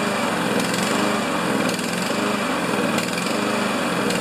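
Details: Honda GCV engine on a Honda/Craftsman MTD mower, started during a tune-up with its semi-automatic choke: a quick, even putter at steady speed with no surging or stumbling; the engine runs normally.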